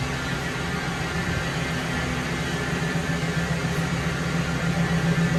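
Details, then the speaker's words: 2006 Ford F-350 V10, under 6k original miles (about 5,800), first start after rebuild of a totaled fire-damaged truck: quiet, smooth, even low idle with a steady deep drone, no knocks or ticks; oil pressure good; normal idle. "It's quiet. Woohoo! Man, that's awesome."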